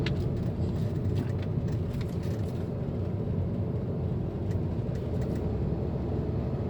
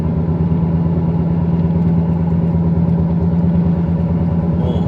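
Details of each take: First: 2008 Volkswagen Passat after hub wheel bearing replacement, test drive above 60 km/h (earlier hum at 60–80 km/h): steady low tyre and road rumble, no speed-rising hum or drone; bearings now quiet. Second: 2008 Volkswagen Passat driving around 60 km/h and above: deep, steady low-pitched droning hum over road noise from a worn hub bearing, fixed by hub bearing replacement.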